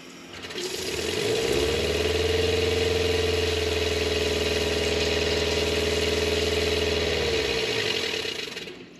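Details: RV water pump after installing an intelligent water pump controller to stop surging: spins up to a steady, even hum of constant pitch, holds smoothly, then winds down; no surging, normal running.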